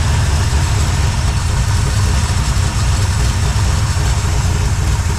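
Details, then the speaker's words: 1972 Chevrolet K5 Blazer at idle, with carburettor floats suspected stuck and causing fouling: loud, deep, raw rumble from a blown-out muffler, sounding cammy because it idles fast. "This thing sounds pretty good. So with that old blowed out muffler. It sounds like it has a cam in it, but that's just because it's running so fast."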